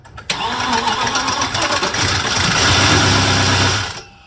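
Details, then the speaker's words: VW Passat W8 4.0L manual, replacement engine just installed, first brief start of a few seconds: catches at once, harsh clattery uneven roar then shut off; sounds like timing is out, possibly just dry parts. "yeah and then we'll do longer yeah sounds terrible okay go on it sounds like the timing is completely out but hopefully it's okay"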